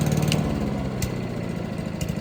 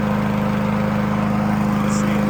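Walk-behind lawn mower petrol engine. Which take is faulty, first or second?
first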